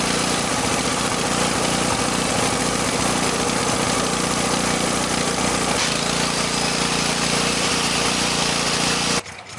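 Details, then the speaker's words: Sportsman generator, unused for a couple of years, loaded by an angle grinder: loud steady drone that smooths out but still has a faint hesitation, like a slight misfire; owner suspects a lean mixture. "And then when I turn on the angle grinder, and it, engage the angle grinder, it tends to smooth out, but you can tell if you listen closely, there's still kind of like a little hesitation in it, almost like a little misfire."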